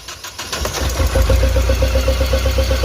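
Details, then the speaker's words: Mahindra Xylo with jerking suspected to come from an injector, during a test with another injector fitted in cylinder 1: an uneven, lumpy pulse with irregular jerks. The jerking is worse than before. "দেখুন, jerking আগের থেকে বেড়ে গেছে।"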